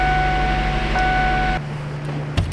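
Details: 2008 Ford Edge that came in with a no-crank and a flashing security light, fixed by programming keys: it starts and idles evenly with a low steady hum, and a two-tone chime cuts out partway through.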